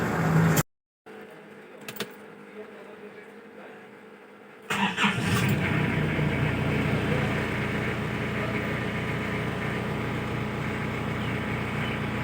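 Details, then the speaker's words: Isuzu Bighorn restarted after about 8 months parked (not run since end of 2022), previously hard starting: engine catches after a few seconds and settles into a steady, even idle with no knocks or misses; normal idle. "lebih kurang 78 bulan lah sudah tidak bergerak keretanya akhirnya keretanya hidup lagi selepas 8 bulan"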